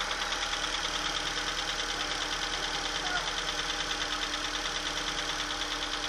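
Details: Opel/Chevrolet Astra engine at cold idle just after start, with a fast, fairly even ticking chatter riding high over the engine hum; abnormal cold-start noise, cause not yet identified.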